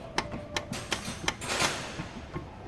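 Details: 2002 Toyota Hilux: sharp, irregular knocks and clunks, several per second, as the wheel is rocked by hand, from a lower ball joint with dangerous excessive play; the other side is less worn and both are to be replaced.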